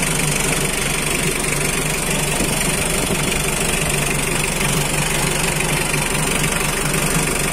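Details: Mitsubishi L300 power steering pickup, 2009, diesel: steady, even idle with a light clatter and no misses, knocks or surges; the engine sounds healthy.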